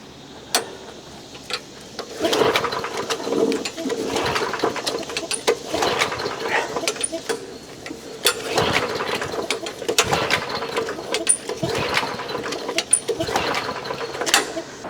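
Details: Old push lawn mower, primed and fueled after earlier work: repeated recoil pulls whir and rasp but the engine never fires; the carburetor was later removed and cleaned.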